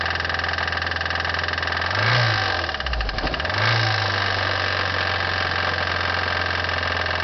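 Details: 1989 Toyota Corolla 1.6 litre with 255,000 miles, hard use: idle and quick rev blip with a steady deep rod knock that quickens with revs; worn rod bearing.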